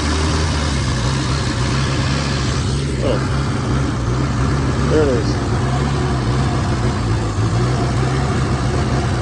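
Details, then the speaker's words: Fiat 850 Spider, first start in ten years after a carburettor rebuild, choke pulled: a steady, slightly lumpy low drone with no stumbles. It will only start with starter fluid; the carburettor and fuel pump are suspect. "choke choke has to be pulled out and come on and it won't start unless i spray starter fluid in it apparently well i don't know why that is come on"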